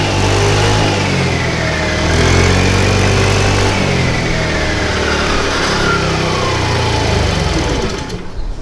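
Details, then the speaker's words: 50cc Tao Tao scooter, hard to start and won't stay running despite a new plug, air filter, carburetor and oil: it chugs unevenly about four beats a second, then dies. A valve lash adjustment is the fix. "This particular scooter is extremely hard to start. And once it is started, it doesn't stay running."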